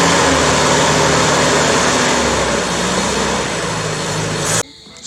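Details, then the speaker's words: 1983 Toyota Hilux 18R engine after timing chain replacement (old chain was rattling badly), first start after rebuild with oil and water filled: runs steady and smooth, no rattle or slap, then shuts off; normal idle. "after 3 days of wrenching on this thing we've gone to pretty much complete now she runs smooth everything's in there so yeah can't be happier than that"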